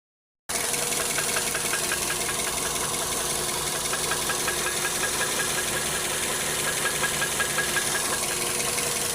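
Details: Engine idling with a sharp metallic knock about three times a second, steady and deep in the block: a spun connecting-rod bearing.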